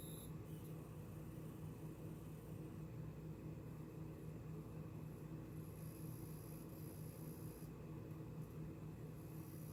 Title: 그래픽카드 소음문제.